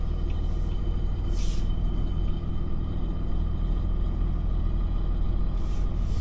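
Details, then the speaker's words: Dodge Ram 3500 with a rebuilt Mercedes G56 manual transmission and new clutch, on the first drive after reassembly: steady low rumble with no whine, grind or clunk. A noise it had since nearly new is gone. Normal manual transmission. "I think it's good seems good things always had a noise in it since it was almost new and I think it's I don't hear it now"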